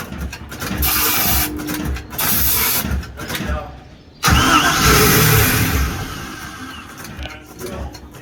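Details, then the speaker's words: Holiday Mansion houseboat inboard engine: repeated starter cranking bursts, catching briefly with starting spray but never running; cranks, won't start, fuel delivery problem suspected as gas isn't reaching the carburetor from the tank. "If it runs with that, that means we have fuel problem. We need to get fuel, pumping fuel."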